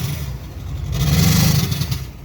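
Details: 2004 GMC with the LLY diesel: a deep idle with an uneven, stumbling low pulse that swells briefly when revved. It is a misfire; the owner thinks it needs injectors, not confirmed.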